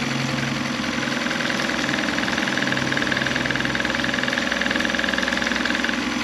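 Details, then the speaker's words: 2011 Mercury 9.9 four-stroke long shaft, pull start: started first pull, steady idle with a light regular valve tick, no misses, pumping water well. "so they had to start on the first pool and pumping water perfectly"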